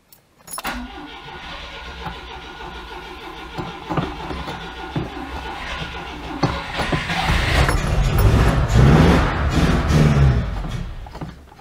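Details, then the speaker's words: 1992 Oltcit petrol engine, sat seven years without fresh fuel, petrol dribbled into carburettor: cranks, catches briefly, revs unevenly then fades; owner suspects a dead fuel pump or old fuel. "yeah it's struggling to um draw the petrol through um it could be the fuel pumps died"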